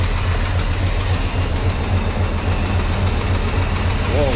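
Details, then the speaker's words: 1995 GMC Sierra 2500 350, bought overheated with a blown coolant line: a rough pulsing idle, about 3.5 beats a second, with the cooling system huffing smoke. A blown head gasket is suspected, unconfirmed, with a leak-down test needed. "I'm pretty sure if you got smoke in your cooling system like that, that's exhaust in your cooling system."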